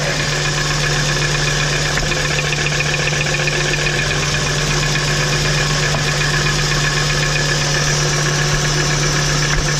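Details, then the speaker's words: VW T4 2.5 AAF petrol at idle: a fast, uneven knock at about four a second. Disconnecting spark plug leads one by one did not find the source; the engine revs well with no problem above 3000 rpm. "Ah, ça cogne toujours, hein. Sinon on entend qu'il prend très bien les tours et au-dessus de 3000 il n'y a aucun problème."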